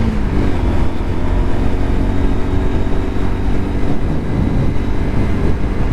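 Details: Lexmoto LXR 125 at 1,000 miles, riding after a modification that removed a former rattle: a steady low single-cylinder drone with road and wind noise and no rattle; normal riding.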